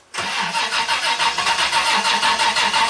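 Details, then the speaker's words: 1988 Toyota Land Cruiser EFI cranking with test light on fuel pump: even rhythmic cranking but never catches; pump draws about 13 amps without spinning, mechanically seized in the tank; crank, no start. "so you saw about 13 amps on that fuel pump it's not spinning it's mechanically seized"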